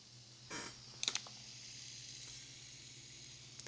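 A faint, even, airy whir with no grinding or ticking under a few handle clicks; the spool bearings spin freely and sound healthy.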